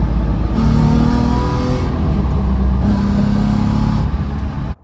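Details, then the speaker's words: Two smooth rev pulls with an even, deep drone and no rasp or rattle from a VQ-swapped Nissan S13 240SX after exhaust rework with 90-degree bends and a new bracket; exhaust now sounds tidy, like a performance Z. "Well, that was a success. The exhaust is much better. It actually sounds like a performance Z now."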